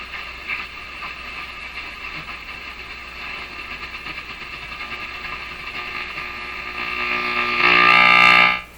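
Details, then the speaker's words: Canadian Philips 922 tube radio after paper capacitor replacement: steady buzzy hum over the broadcast swells louder; radio interference from nearby LED lights. "Rather than power them from their own little power pack, which produces all kinds of radio interference, I am powering them fro"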